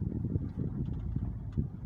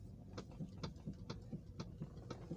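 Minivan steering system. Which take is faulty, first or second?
second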